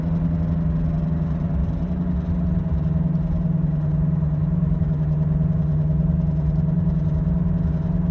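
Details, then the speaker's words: Vehicle slowing from 45–50 mph on an off ramp, car shaking; steady low droning hum under road noise — wheel bearing noise. "It's the left side, and you take a right-hand turn, it should get louder."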